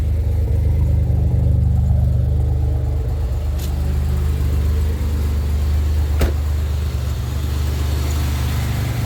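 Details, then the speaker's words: 2007 Grand Prix supercharged V6 at first startup after Gen 5 supercharger/intercooler rebuild and new heater core: steady, low, even idle rumble, intercooler running, slight exhaust leak heard, otherwise smooth, normal idle. "Intercooler's running. Nice and smooth. Sounds much better."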